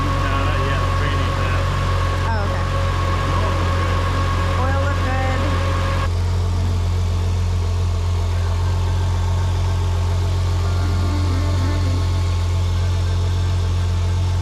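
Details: Nissan RB25DET race engine freshly installed with a Garrett G35-1050 turbo on a standalone ECU, first start after priming oil and syncing timing: a strong, even low drone at steady idle with no knocks, misses or ticking. Normal idle.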